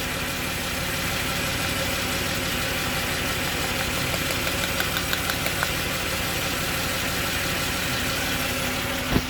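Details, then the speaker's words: Jaguar XJ40 XJ6 4.0 Sovereign at idle: the idle stumbles and never settles, with light ticks, as one cylinder drops out; pulling plug leads confirmed a spark plug problem, fixed by cleaning plugs and contacts. Misfire at idle. "So it's definitely a spark plug problem."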